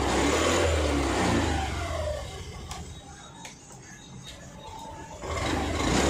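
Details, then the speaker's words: Honda Activa 6G scooter after half engine work, with valves adjusted and rocker refitted correctly to fix self-start problem: starter catches right away, smooth idle, then revs cleanly; normal starting and idle. "இப்ப இந்த வண்டில வந்து complaint வந்து கரெக்டா ஆயிருக்கும்."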